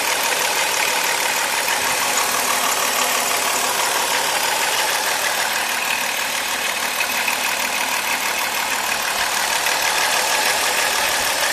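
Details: Chrysler 3.3 engine at idle: busy, hissy rattle at roughly three beats a second; suspected worn timing chain, not confirmed.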